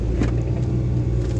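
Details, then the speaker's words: Toyota Vitz after replacing CV joints on both sides to cure knocking during U-turns: test-drive U-turn with only smooth low road rumble, no clicking or popping; normal CV joints while turning. "अल्हम्दुलिल्लाह गाड़ी जो है वो बिल्कुल smooth हो गई है, इसमें किसी भी किस्म की आवाज़ नहीं रही।"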